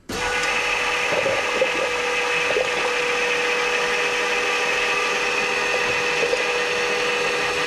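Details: Carlton's drift car, first fire-up, wheel turned back and forth: constant high-pitched power steering pump whine over the engine with faint rattles; fluid foamed to the top of the reservoir, cause unknown.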